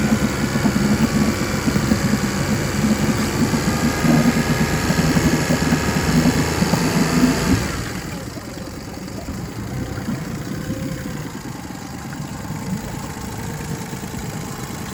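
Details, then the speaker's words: 2006 Mercury 25 HP EFI four-stroke outboard after replacing deteriorated fuel line and tank, previously surging 2000–3000 rpm and dying; steady even fast idle without surging or bogging; now running properly. "the motor is doing what it's supposed to and he's happy I'll run the fast idle up a little bit now"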